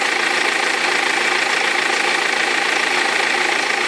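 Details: 2003 BMW E46 320d diesel at idle: steady rattling knock three or four times a second; perished crankshaft pulley vibration damper, both belts eventually fell off.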